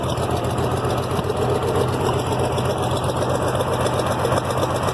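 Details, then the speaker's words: IH Farmall 706 after a new carburetor: a steady idle with an uneven beat and light top-end ticking. Owner notes a miss and top-end noise, plans a winter repair and accepts the risk of a burnt valve. Engine misfire. "Yeah, it's not running too bad now, though. I mean, and yeah, it's got a miss. It's got, you know, some top engine noise."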